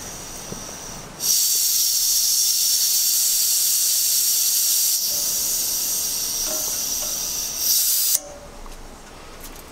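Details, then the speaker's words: 1 lb propane cylinder being refilled via adapter: relief valve pulled open with hemostats, loud steady hiss of gas venting about seven seconds then cut sharply, relieving pressure so the cylinder fills more. "so what i did there was i relieved some pressure so that the tank could actually fill up a little bit more"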